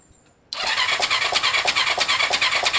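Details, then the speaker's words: Kawasaki ER5 (Tamoretti retro) motorcycle restart after a valve timing change: fires and runs lumpy with an uneven chuff about three per second, as if exhaust and inlet open together; valve timing still off, possibly sprockets misplaced. "it don't sound great it almost sounds like the exhaust is open at the same time as the inlet"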